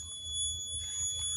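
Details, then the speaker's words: Daewoo Nexia N150, 2012, 219,000 km, at idle: thin steady high whistle, changes with revs, fades under throttle and returns off throttle, stops with engine off, heater fan off; owner suspects coolant flowing through heater core, replaced two months earlier. "свист Кто знает что это за свист обороты держит нормально то есть смотрите газуем он меняется"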